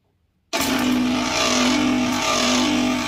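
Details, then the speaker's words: Two-horsepower cabinet air conditioner outdoor unit with a seized (stuck) compressor, started using a large-capacity capacitor hard-start; steady even loud hum, no knock or rattle; compressor now running normally. "The compressor is running normally, and the exhaust is inhaling. After the compressor is started, the problem of sticking the lever has been solved."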